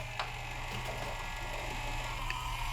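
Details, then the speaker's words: Culligan Gold Series 9 water softener control valve showing error 1H, forced regeneration, mic held close; low steady hum with ratchety ticks as cam turns, motor straining at 3 and 9 positions; control valve motor straining. "and you can see how it's now spinning all the way around and you can hear that it's still straining listen to it"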